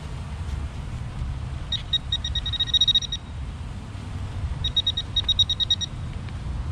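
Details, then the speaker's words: Minelab Equinox 800 at an old school site, around 1890–1905: two bursts of rapid high beeps over low rumble, reading near 39 and looping to a high tone instead of negative; likely iron, two targets present. "And sometimes when it goes that high, it almost wants to loop signal back. It's going back to, instead of going to negative, wants to go like a high tone stuff."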